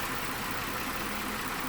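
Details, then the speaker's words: 2012 Mazda 6 3.7 L, after fan module replacement (old unit full of sand) for fan running high and erratically: after 4–5 minutes running, a steady even air rush holding low speed; normal cooling fan operation. "Fired it up, and the fan seems to be not running up in the high speeds, not doing anything crazy."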